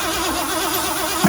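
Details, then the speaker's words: 1979 Ford F350 dually, 400M small block, auto, after about 22 years sitting, cranking with spark plugs out and key off: steady airy whistle over even cranking, good compression; blown exhaust manifold gasket, stops when covered by hand, passenger exhaust plugged. "Hear that kind of air whistle? So if I put my hand right here over the side of this exhaust manifold where the gasket is, check this out. I can stop the noise."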